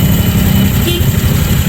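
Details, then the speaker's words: Scooter at idle with pulley fitted but no belt: coarse, rasping constant grind from the starter bendix rubbing the flywheel; goes quiet with bendix removed, and briefly disappears after pressing push-start as the flywheel syncs with the bendix. "Kasi sumasabay na yung flywheel dun sa Bendix. So mawawala talaga yung tunog."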